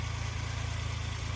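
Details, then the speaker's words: 1996 Suzuki Jimny small 3-cylinder idling, hood open, heard at the engine bay: smooth even low pulse, no belt squeal or ticks; very smooth, healthy idle. "So yeah, as you can see, no obscure belt noises or anything like that. Idle's great,"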